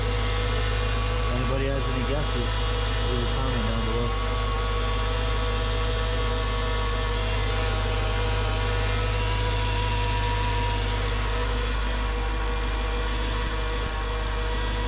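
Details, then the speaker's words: Mercedes CLS55 AMG M113K supercharged V8 after billet UPD idler pulley replacement, first start after sitting in cold weather: loud idle with persistent whirring drone, unchanged after warm-up; owner suspects supercharger, not pulleys; source unclear. "that noise didn't go away after it warmed up um not sure what it was it didn't sound like it was coming from the pulleys maybe the supercharger"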